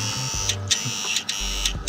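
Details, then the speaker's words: Datsun 280Z fuel injector bench-tested on a power supply: sharp, crisp clicks a few tenths of a second apart over a power-supply buzz; the injector opens cleanly and works. "We see no sht but ... it's clicking."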